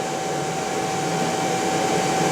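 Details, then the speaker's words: Motor recently rebuilt by specialists, run on a Korean inverter: constant high-pitched whistle over motor hum, steady throughout; owner suspects the motor, cause unconfirmed. "я слегка разочарован и в недоумении нахожусь вероятны проблемы в двигателя что там может издавать такие звуки двигатель недавно перебирал перебирался специалистам"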